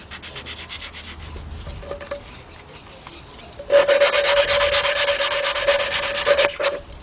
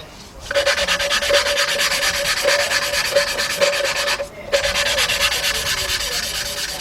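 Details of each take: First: 2003 Jeep Liberty Sport 3.7 partial engine rebuild, cylinder head valve lapping with an old lapping tool: gritty back-and-forth scratching, then harsher squeaky grinding; valve not yet seated, grinding fades to smooth once seated. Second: Valve being hand-lapped into the cylinder head of a 2003 Jeep Liberty Sport 3.7 during a partial engine rebuild: the back-and-forth rubbing turns smooth with no gritty grinding, showing the valve is seated.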